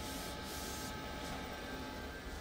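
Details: LG 20 kg washer-dryer that earlier showed dHE within minutes, timed dry, now heating with no error: even steady whir, constant whine and faint rattle, no knocks or scraping; blower running continuously and normally.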